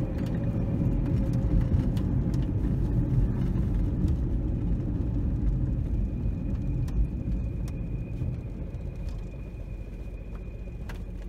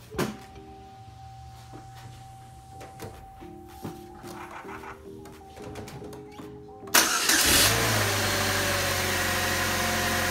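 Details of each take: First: 2004 Chevy Cavalier 2.2L Ecotec running rough, bogging on acceleration with RPM plummeting near stalling, as if on two or three cylinders; codes P0300 random misfire and P0171 lean, flashing check engine light, catalytic converter glowing red. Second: 2004 Chevy Cavalier 2.2L Ecotec after the fix for rough running (P0300 misfire, P0171 lean): chime tones, then cranks, catches quickly and settles to an even, steady idle, running much better; check engine light still on.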